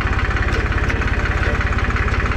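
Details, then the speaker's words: Massey Ferguson 266 tractor diesel after full rebuild: even, quick pulses about fifteen a second with no knocks or dropouts; owner calls it very smooth running, a healthy idle. "çok güzel oldu şöyle göstereyim çok yumuşak bir çalışması var"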